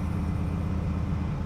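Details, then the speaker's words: 1967 Corvette Stingray V8, first start after sitting for decades, old fuel flushed, oil pressure confirmed, run only 15–20 seconds with no water pump hooked up: even, steady low idle rumble with no knocks or misses; sounds healthy, water pump next. "wow that sounds good next step is uh getting that water pump replaced"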